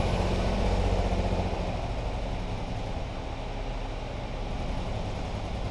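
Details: 2018 Ford Focus SE, sat about three weeks, seller claimed water in a cylinder; freshly jump-started with white smoke, in shop: low lumpy idle, uneven pulse about four a second, no steady rhythm, running rough; cause suspected, not confirmed.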